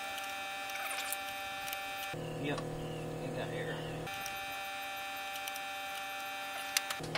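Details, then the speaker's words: Ford F350 6.9L IDI diesel during injection pump replacement: 12 volts at the electric fuel pump, steady high electric whine and buzz cutting in and out as power is applied, pump running normally with plenty of fuel pressure while bleeding the system. "got 12 volts there obviously as you can hear i got the an electric fuel pump on here"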